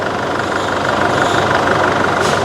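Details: Diesel after the injector tips were replaced (poor-quality parts blamed) and pipe seals renewed, before the road test. Steady, even diesel clatter with a smooth rhythm and no misfire or shake: normal idle.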